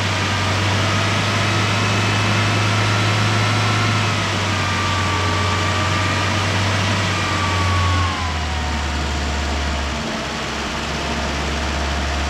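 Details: 1973 Chrysler Galant revived after 26 years sitting, running on a makeshift jerry-rigged fuel feed through its fuel pump, oil light out: low steady idle hum chugging away for twelve seconds with slight pitch settle, no knocks or stumbles; normal idle, cooling system then found leaking.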